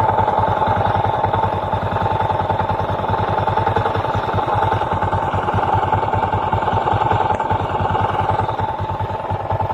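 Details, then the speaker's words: Honda XRM 125 carburetted single-cylinder, before teardown: fast, steady idle chatter with a ringing whine; worn crankshaft side bearing, later fixed by replacing the side bearing and connecting rod and reboring. "Before natin paandarin ang kanyang motor, iparinig ko muna sa inyo ang tunog ng kanyang makina."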